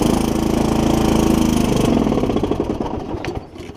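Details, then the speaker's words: Mower with Kohler Courage 20 single-cylinder engine, engine work repaired but block cracked in the usual spot; starts with a quick beat, then firing turns ragged, misses grow and it stumbles and stalls; owner suspects water on the plug. "I'm not going to let it run very much because it does have a cracked block in the usual spot. But y'all can hear. Probably got a little water on the plug."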